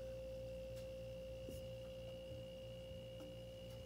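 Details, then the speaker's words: Frigidaire LFPH33M4LM mini fridge that stopped cooling, after replacing the compressor starter relay: steady even compressor hum with a clear high tone, running normally and cooling afterward. "oh i can actually hear the compressor humming now so it started up it's running"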